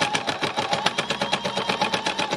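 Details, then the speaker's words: Free-motion embroidery sewing machine needle banging, fast even chatter about six strokes a second, slightly labored and uneven, straining through stiff thick fabric of embellished and stitched leaves; sewn gently to avoid breaking needles. "you hear that banging noise that means i've got quite a lot of thick fabric here now because i embellished the leaves on and then i've stitched them it's created quite a stiff thick fabric"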